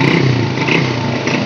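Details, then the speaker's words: SYM RV1-2 motorcycle with a replacement SLV XRM 110 carburetor, already tuned for air and fuel: short clean rev with crisp throttle pickup, no hesitation or popping; carburetor working properly. "Okay naman yung accelerator. Pag nagsisira niya doon naman, hindi naman delay."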